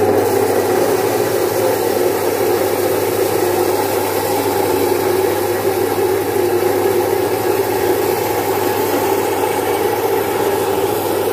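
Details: Domestic stone flour mill, single-phase 1 HP, splitting about 4.5–5 kg of moong into dal in three to four minutes. Steady, even hum with a constant low drone and grinding hiss, no knocks or surges; normal running under load.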